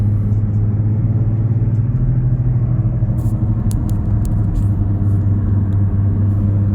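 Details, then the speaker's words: 1993 BMW 318is E36 while driving, with a holed muffler: deep droning rumble like a worn bearing, plus grinding or tapping on acceleration; previous owner says the exhaust line hits the gearbox; unconfirmed. "ensuite en roulant on entend un magnifique bruits de roulement totalement rincer et lorsqu'on accélère entend un bruit de grincements ou de tapement"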